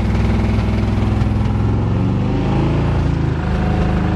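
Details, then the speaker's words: 1987 Chevrolet truck, just primed and started, running without an air cleaner: loud, lumpy, stumbling running that won't settle into an idle, with the engine visibly shaking; it is definitely misfiring. "it's running on its own sounds like it's misfiring yeah it's definitely misfiring way that motor shaking"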